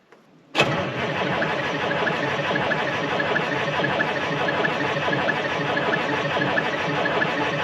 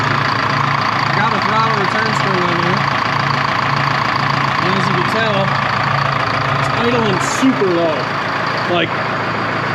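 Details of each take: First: Cold start of a 1976 Ford F250 with a Detroit 4-53T turbo two-stroke diesel in freezing, snowy weather: it fires almost instantly and holds a steady, busy idle with no misses or stumbles. A clean cold start. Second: 1976 Ford F250 with a Detroit 4-53T two-stroke diesel, warm at 140 degrees after 10-15 minutes running: a slow, lazy idle of about four pulses a second that sounds ready to stall. The idle is about 400-450 rpm, way too low; oil pressure is 12 psi.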